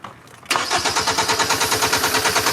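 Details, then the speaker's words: 2010 Hyundai Sonata 2.4 with an intermittent no start and no codes; spark and injector pulse confirmed. Silence, then it catches and runs with quick, even pulses only on fuel sprayed into the intake, pointing to a fuel pressure/delivery fault. "We have spark, we have injection pulse, the car is not starting. So, we're either flooded, the engine's either flooded or we just we don't have fuel pressure."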